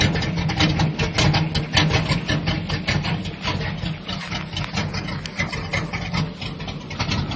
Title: Square Body Rough idle